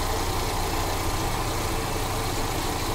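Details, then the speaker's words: Mercedes CLA 200 at idle with check engine light flashing: lumpy, jerking idle with rpm rising and falling and the engine shaking, an engine misfire; a sensor fault or cut wire is suspected. "Missing कर रखा है जर कर रहा है मी पर देखिए check light देखिए कम ज्यादा हो रहा है देखिए इंजन जर कर रहा है"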